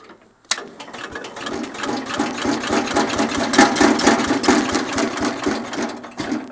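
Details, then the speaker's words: Cub Cadet 107 garden tractor cold start on full choke after new fuel filter and fuel line: engine catches right away and settles into a quick, fairly even chugging beat, a little smoky and stinky, then runs good; normal cold start. "A Not bad. Little stinky. Not bad though."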